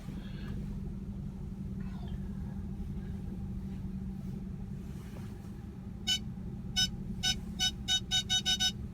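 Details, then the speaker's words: 2010 Ford Fusion Sport 3.5 AWD backing toward a snow bank: quiet engine rumble, then the rear park aid beep speeds up but sounds thin, muffled and high-pitched; failing rear speaker, followed by park aid and cross-traffic system fault messages. "so you could hear that that speaker sound was not it was pretty muffled high-pitched and that speaker is gonna fail probably any time now"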